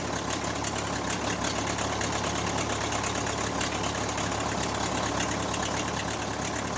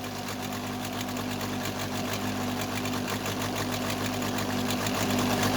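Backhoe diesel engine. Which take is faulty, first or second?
second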